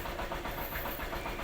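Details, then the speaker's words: Yamaha YTX 125, two years old, after removing the choke to fix hard morning starts and wild running. On startup it gives a quiet, even putter with a steady beat and no stumbling, a smooth idle. "Tingnan po natin mga kabady Yan, nakauna. Start ko. Ayun, smooth na smooth po."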